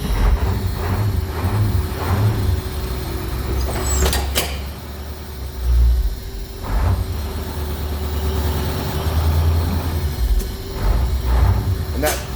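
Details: Cold start of 1985 Thomas school bus, International S1800 551ci diesel, automatic, 175,000 miles: steady low diesel rumble at idle with faint hiss and clicks as air brake pressure builds toward 90; runs smooth and even.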